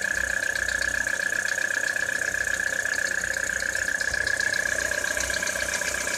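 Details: Citroën C4 2013 cold start in frost: fast, fairly even tapping about three knocks a second over a steady hum at idle; engine knock, cause not yet identified.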